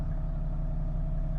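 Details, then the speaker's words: Flood-damaged Toyota LandCruiser HDJ100, 1HD-FTE diesel, idling just after a hard start blamed on suspected air in the fuel filter: steady, even idle with a smooth low rumble, no knocks or ticks, no horrible noises. "but it's running and it's not making any horrible noises"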